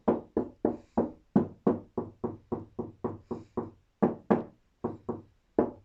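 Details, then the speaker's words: Bass car door being strengthened: hand taps about three or four per second, each with a hollow ringing tail; the door skin still resonates in two sections, middle has no flex, fiberglass to be bonded to the skin. "There's still quite a lot of resonance in there at the moment, as you can hear, mainly in this section and this section."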